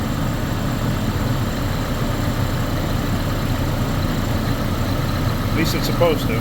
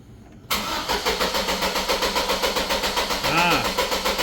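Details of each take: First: Chevrolet Colorado with an extended-crank complaint after sitting; owner suspected fuel or the crank sensor. Idling with a fuel gauge fitted reading 60 psi, steady, even low rumble with no misses or knocks; normal idle, fuel pressure not the cause. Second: Chevrolet Colorado with excessive crank after sitting, fuel pressure gauge fitted: starter turns evenly at about four beats a second without catching; fuel pressure was suspected, and the test showed it is not the cause, with the crank sensor still suspected.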